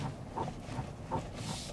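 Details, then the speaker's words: 3rd-gen (2022+) Toyota Tundra cabin, AC off: two short, high squeaks about three-quarters of a second apart when pushing back on the seat; severe seat squeak, reportedly across trim levels, cause not confirmed. "I don't know if you can hear that but there is a very severe squeak you turn on the AC again there is a very severe squeak when you push back on this on the seat"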